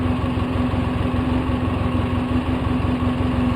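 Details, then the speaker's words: 2004 Polaris Sportsman 700 twin, choke fully in, low on fuel with Seafoam added, new exhaust fitted, idle untouched: steady, fairly fast idle around 1,300–1,320 rpm with an even beat and no surging or misfire; idle likely set too high. "it's idling about 1,300. The fuel keeps coming on because it knows it's low in gas, so it keeps reverting to that 1310, 1320."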